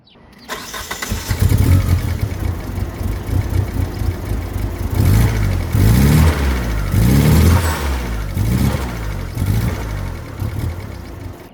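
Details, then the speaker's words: $3500 DSM after a new timing belt: engine catches and settles into a lumpy, surging idle, still dumping fuel; data log showed the coolant sensor pegged, owner suspects a bad shared sensor ground. "problem is it's still dumping fuel. And I'm guessing one of the sensors is still bad."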